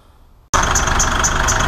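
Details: Mitsubishi Triton diesel, idling before warm: high chirp pulsing about four times a second; drive belt squeal, surface rust found on an idler.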